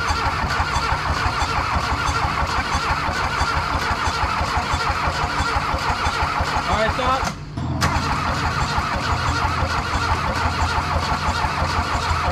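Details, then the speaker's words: VW Mk1 Rabbit/Caddy pickup with turbo-diesel swap, injector lines left loose to bleed, fuel system vacuum-primed via return hose: even cranking chug about seven seconds, brief dip, then diesel catches and settles into steady run. "so now she should just crank it over and then it should be okay so go ahead and just crank it james"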